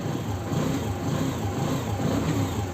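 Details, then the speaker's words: TVS Apache motorcycle after a timing chain replacement and fresh engine oil, fixing an engine noise and no-start; self-starts and idles steadily with a light throttle blip, no ticking or chain rattle at all, sounding healthy. "तो sound तो काफी बढ़िया ए रहा है आप लोग सुनो sound एक जरा से भी इंजन में आवाज़ नहीं है"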